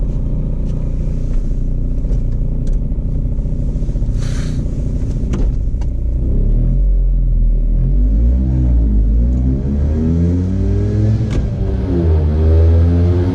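Small two-stroke blips and revs with a rough, clattery rumble that changes with the revs; it sounds off, but there's no clear cause.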